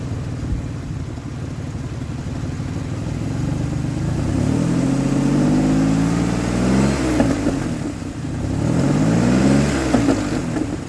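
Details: 2003 Ford Explorer that failed inspection for a misfire, just after an ignition coil replacement: it starts slightly uneven, then runs smoothly through two rev rises with no stumble, smoothing out under load. Smooth running petrol V6.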